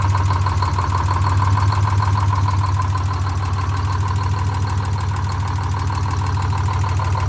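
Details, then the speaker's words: Detroit Diesel 6-71 in a 4104 bus, after coolant-in-oil repair with fresh oil filter, run hard to reach temperature in neutral until thermostat opens: deep, steady rumble with an even fast beat, no knocks or misses; normal running. "we're going to run it hard now get it up to temperature going to go ahead and start her"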